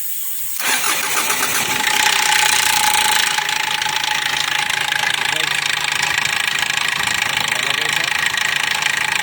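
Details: 2004 Kia Sorento with a hard-starting problem: catches quickly after a brief crank, then settles into an even idle with steady ticking and no stumble; starts and idles normally here.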